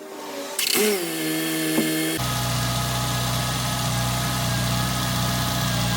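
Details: Nissan Altima after cracked exhaust manifold repair: engine catches and settles into a steady, even idle with a smooth low hum and no ticking or puffing from the manifold.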